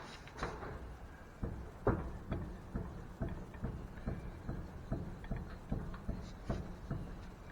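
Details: 2001 Chevrolet Silverado K2500, jacked up by the control arm to simulate load, wheel pried up and down: sharp metallic clunks about twice a second, one per pry; worn, loose lower ball joint, confirmed, so the spindle must be removed for replacement.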